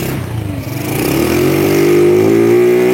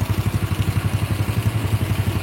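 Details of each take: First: Old Honda Grand motorcycle with a rebuilt engine that won't rev high: revs climb and hold flat at one ceiling, dip, then return to the same limit. Cause suspected; a CDI unit is being evaluated. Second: Honda Grand 100 cc single-cylinder motorcycle, engine reassembled, bike won't rev high, CDI being tested; even steady idle thump with no knocks or rattles, only a faint whine normal for an old engine.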